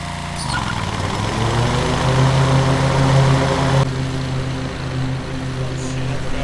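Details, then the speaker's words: Cub Cadet 1641 lawn tractor after carb cleaning and fuel change: steady, even low burble with deep throaty exhaust note like a 350 Chevy, no knocks or misses; normal running. "Man, that old mower has kind of a cool note. Almost sounds like a frickin' 350 Chevy."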